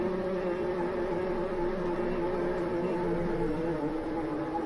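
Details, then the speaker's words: Seven-inch FPV quad in flight at high speed: steady high motor buzz with rough uneven edge and excessive vibration; suspected broken prop that lost a blade, leaving it off balance, not a loose prop; propeller vibration. "a loose prop I think would that that period where it was going with like a ridiculous amount of vibrating that was a prop where you like lost one blade on the prop okay and now the prop is off balance"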